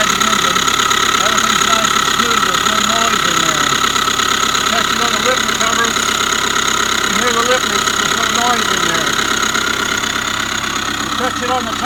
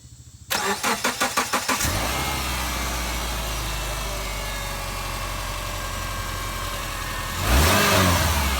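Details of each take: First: 2005 Subaru Forester 2.5 boxer SOHC, long dog-whistle noise then knocking after a botched timing belt job: steady high whine with rough bearing growl at idle, located inside timing cover; timing belt tensioner or idler pulley suspected. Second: 2005 Subaru Forester after redoing an incorrectly done timing belt job and reassembly: quick even cranking catches cleanly into a smooth steady idle, then a brief clean rev; normal start and idle.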